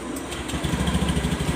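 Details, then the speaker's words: Honda Beat Street scooter (2017–2019), rarely serviced, with a sticking throttle grip that stays open on its own. A steady, even idle with soft regular beats, normal until the throttle is turned, when the revs stay high. "Ini normal. Tapi saat kita putar gasnya tinggi sendiri ya. Karena dia statusnya ini lengket ya."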